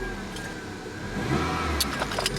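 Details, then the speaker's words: 1999 Toyota Corolla just after an overdue oil and filter change, oil light off: steady, quiet idle with a few light handling clicks; the valves pumped up, the lifter tick is gone and it sounds happier; normal idle. "I heard the valves pump up. Sounds a lot happier now. A lot happier than it did when I first started it."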